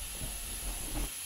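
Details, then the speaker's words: 48-year-old Compak air compressor, running and slowly building pressure: a steady airy hiss over the pump's low rumble from a leaking unloader valve, as the pump labours and slows near pressure; unloader valve air leak. "so what's going on so here's the first problem the unloader valve is leaking"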